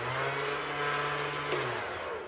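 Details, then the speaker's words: Honda CT70 with Zongshen 190cc/212cc big-block engine: electric starter motor whirs about two seconds then winds down without engaging flywheel or cranking; owner fears broken starter chain, not yet confirmed before teardown. "And the problem is you can hear the motor spinning, you can hear stuff happening, but it's not engaging the flywheel and cranking the engine over."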